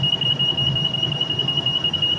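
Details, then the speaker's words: PECVD tool chamber pump-down through the roughing line: a steady high-pitched alarm tone over a faint low hum; the chamber failed to pump down, probably because the door did not seal and needed holding down. "and if it alarms, you can silence the alarm and investigate the problem."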